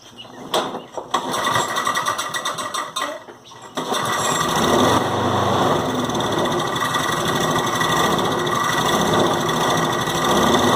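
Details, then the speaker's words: John Deere JS36 mower that won't stay running: with the air filter off and starting fluid sprayed in, it sputters a few times, then catches and runs steadily. This points to a blocked carburetor, which gets cleaned. "shoot a little starting fluid in there and if it starts and runs then we know we got a carburetor"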